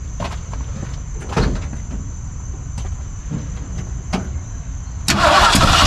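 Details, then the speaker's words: 1964 Ford 289 in a 1962 Mercury Meteor, frozen distributor, after filling the fuel bowl: steady cranking with faint irregular sputters that never catch; suspected timing or condenser issue, not confirmed. "this is definitely a timing issue at this point timing or what a condenser"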